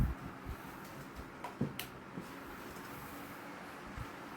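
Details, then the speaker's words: Vintage 1989 Woolworth 12" desk fan, switched from high to full power: quiet, steady low hum with a few faint bumps. Speed barely rises but airflow is strong, and it runs smoothly with no fault. "as you can hear there was barely any increase in speed but it's not much but it is certainly pulling a huge amount here"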